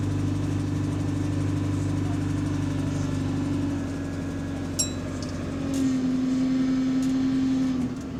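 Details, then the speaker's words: Diesel bus GAL 731 on route 126 pulling away: engine tone rising then easing, with a light repetitive tick heard whenever the engine is on throttle, also faintly at idle; source undetermined. "but yeah anytime the engine is throttling you hear that tickling noise you hear that tickling noise"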